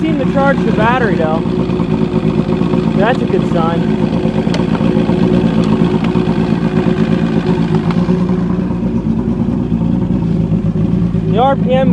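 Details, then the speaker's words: Evinrude Starflight 100hp two-stroke outboard running out of the water, battery boosted, throttle-linked manual ignition advance: crisp, even rasp with no misses or rattles; normal running, a big improvement after repair. "so it's a big Improvement it runs great uh it's awesome uh really badass sounding"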